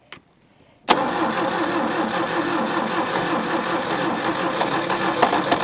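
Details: Daihatsu F20 4x4, first start attempt in years, with fuel poured into the carburetor bowls: the starter spins the engine with a steady churning rhythm but it never catches.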